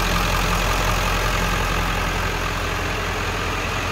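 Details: 1997 Ford F350 XLT crew cab 4x4 with 7.3L Power Stroke diesel, heard in the open engine bay: steady, even diesel idle clatter over a constant low rumble, no knocks or misses; healthy idle.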